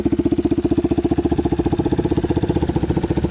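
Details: Yamaha Warrior 350 quad on a test drive after carburetor cleaning and other fixes: crisp, regular thumping with no popping or backfire, good power and revs out completely; running smooth and healthy.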